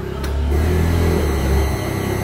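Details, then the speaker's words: Honda automatic injection scooter (Vario/Scoopy type) with intermittent stumbling, heard at the fuel pump on key-on: low dull groan, not a strong hum; weak fuel pump, top speed limited to 40–60. "Teman-teman perhatikan suara di bagian pulpam ya. Nah ini suaranya itu begitu ya teman-teman, tapi tidak mendengung keras ya."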